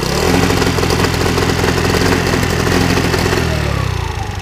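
Small two-stroke buzzing and revving with uneven popping crackle through the exhaust as revs drop, a moped backfiring, cause unknown.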